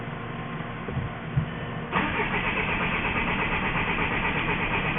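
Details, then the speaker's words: Crank-no-start on a 2004 VW Jetta wagon, 1.9L TDI BEW diesel: starter cranks at a steady even pace for several seconds but the engine never fires; listening for the pump under the rear seat, fuel starvation suspected. "On these, they have a fuel pump in the back, underneath the back seat, and we are going to listen to it while Bob cranks the engine."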